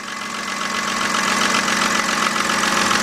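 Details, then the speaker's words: 2007 BMW 328xi petrol engine at idle after start: loud tapping at first start, then a light steady tapping of about four ticks a second from the top end. Lifters suspected, not confirmed. "What we're hearing right now sounds like a little tapping coming from the top."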